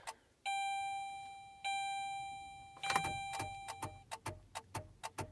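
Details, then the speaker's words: 2007 Saturn Ion cold start after months unused: a steady warning chime, then a quick string of clicks about twice a second and no cranking; owner suspects a dead or weak battery, later thought loose wiring; no-crank with chime only. "Yeah, we got a dead battery on the car. Enough to beep her, but not enough to crank it."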